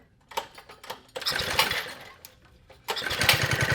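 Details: 1970s Trail Horse GTO mini bike, vintage Tecumseh HS50 single, parked 20 years, started on choke: sputtering first start, then rough run with hard regular knock about three per second; internal damage possible, cause unconfirmed.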